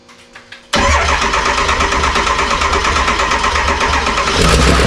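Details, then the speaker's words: 7.3 Powerstroke diesel swapped into a 1951 Ford Shoebox on standalone wiring: starts abruptly and settles into a steady, slightly uneven clatter at idle, smoky but running; normal engine start and idle. "oh she's Smokey but it runs again"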